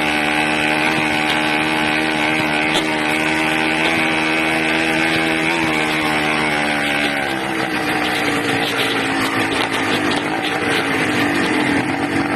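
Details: Buzzy 80cc two-stroke holds high revs, then sags and wanders in pitch partway through; unstable running, owner suspects a carburetor or intake manifold leak, possibly sucking air.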